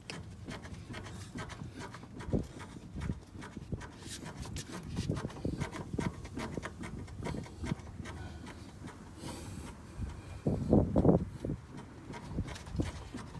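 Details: Car raised on jack stands, front wheel rocked by hand gives dull, uneven knocking from a worn ball joint. Front-end clunk traced to the control arm bushing and ball joints; original control arm being replaced.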